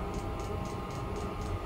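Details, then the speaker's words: Diesel heater on a 2-blade icon controller, startup: fan speeding up, pump running, glow plug power dropping from 75 W. Steady fan hum with crisp fuel-pump ticks about four a second: a normal startup. "can hear the heater getting faster and faster behind me oh and now the power to the glow plug is starting to drop down"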